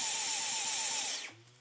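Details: Dyson V11 cordless vacuum on eco: the motor won't spin up, and the high whine wavers in quick regular surges about four a second, then winds down. Medium is also affected but boost runs fine; the faulty motor unit needs replacing.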